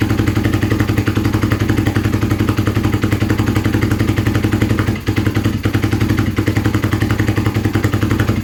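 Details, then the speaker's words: Kawasaki KZ440 project bike, new spark plugs, choke on one side: uneven, loping pulses about four per second at idle with irregular firing and slight stumble, smoke seen; rough running, cause suspected, not confirmed. "Not sure if you saw that, there was a lot of smoke coming out. It started."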